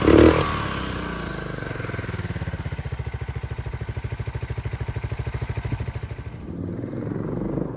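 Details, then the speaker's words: 1997 Suzuki Savage 650 single, 2,000 miles, parked nearly 20 years, after a full carburetor clean and a new battery: even, steady thump at a relaxed idle with no misses or clatter, then it fades; runs clean and healthy. "it runs amazing this bike has 2,000 miles and it runs like it it runs like it has 2,000 miles"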